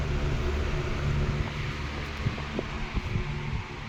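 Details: 16-inch R&M Banner 2-speed oscillating fan on high speed (1.2 A), oscillating: steady low hum, soft whoosh, light irregular ticks; gearbox chatter quiets down under oscillation load, healthy.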